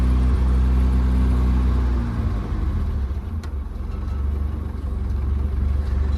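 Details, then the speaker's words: 1964 Oldsmobile Cutlass with a 1965 Oldsmobile 400 big block, previously locked up for years, idle speed turned down: deep, steady V8 idle that drops slightly and keeps an even beat without stumbling; normal idle. "sounds like she will"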